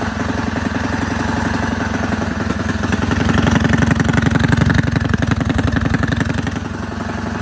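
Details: Rebuilt Predator 224 single-cylinder engine with aluminum flywheel, advanced timing key and ported PWK carb: steady fast thump around three beats a second, running cleanly with a slight rise in revs; normal running.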